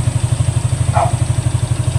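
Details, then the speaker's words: Suzuki SkyDrive Sports 115 scooter after repair of a hard morning start: now starts quickly and settles into a quick, steady, even thumping idle with no stumbling; runs right. "Hindi na siya mahirap paandarin. Saglit na lang siya."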